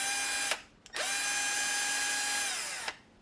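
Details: Würth 3/8in cordless impact wrench after board repair, partly reassembled for test: smooth even high whine spinning up, held about two seconds, then winding down cleanly; motor healthy.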